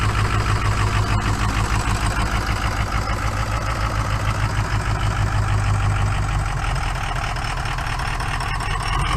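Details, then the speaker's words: Rust-free California Ford 6.0 Power Stroke diesel pickup that barely runs, idling a little smoky: heavy uneven lumpy beat about three pulses a second, obviously down a cylinder with a weak cylinder; dead-cylinder misfire at idle. "obviously down a cylinder"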